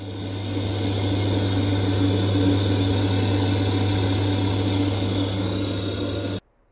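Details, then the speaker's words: Gas boiler after leak repair, expansion vessel recharged from 0.4 to 0.8 bar, being repressurised for leak and safety checks: constant steady low hum from pump and fan, no gurgling, banging or hissing; boiler runs normally. "so the repairs all done just going to pop some pressure in the boiler make sure there's no other leaks at all do my Stacy checks and that should be this job completely done"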